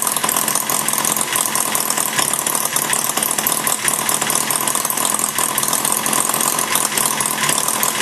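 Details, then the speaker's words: Maier TA4 small model engine after tune-up and carb cleaning, warmed up with a little load on the flywheel: a fast, even firing buzz holding steady with no misses or knocks; running smooth. "it actually runs a little smoother once it warms up with a little bit of load on the flywheel"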